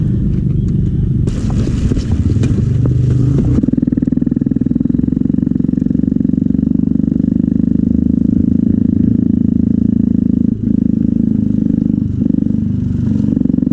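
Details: 2001 Yamaha YZ250 two-stroke with a fouled spark plug, after the plug was changed: catches after a few kicks and settles into a strong, steady two-stroke buzz; fired right up and runs normally.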